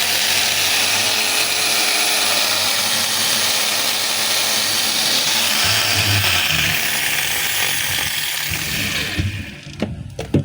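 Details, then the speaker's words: DeWalt DWE8200S 4-inch grinder that runs noisy and smells of burning: high, rough whirring at full speed with a gritty rasp, then it spins down around nine seconds. Its carbon brushes are loose and wrong-sized but are ruled out as the cause; another cause is still unknown. "So, ito mga kabay, gumagana, pero maingay siya, tsaka nangangamoy sunog."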